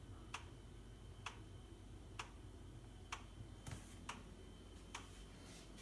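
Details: Boxi boiler knocking: sharp regular ticks about once a second over a low steady hum; cause unknown.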